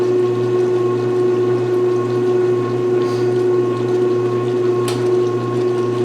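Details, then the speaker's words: 1996 Maytag Dependable Care Plus washer, first load after installation, draining: steady, even low motor hum with water swishing, very quiet, no rattle or leaks; the drain pump is healthy. "is it draining holy it's so quiet you can actually hear the motor i love it"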